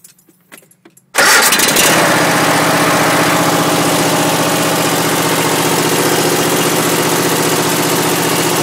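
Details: Troy-Bilt engine, cold start with choke off, last run days earlier: after a second of quiet it catches at once and settles into an even steady idle without stumbling; normal cold start.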